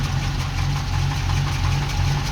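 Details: Ex-NZ Army V8 Land Rover after replacing military ignition with Mallory coil, optical unit, cap, rotor and ballast resistor: even, low V8 burble at idle, steady rhythm without misses or knocks; runs smoothly and healthy.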